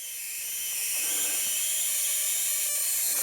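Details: Ancel SP-02 spark plug tester with clear cover open, two plugs firing side by side: sharp, steady high hiss-crackle of sparks snapping rapidly and evenly; both firing strongly and consistently.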